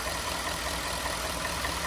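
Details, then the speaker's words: 2014 Ford F-150 XLT 4x4 with 5.0L V8, just after a cold start, heard under the hood at idle with a new battery fitted and oil checked: steady, even idle with no knocks or ticks; it sounds healthy. "so well the cold start's already done and we're going to do this little checking out of the engine to see how it sounds really good to me"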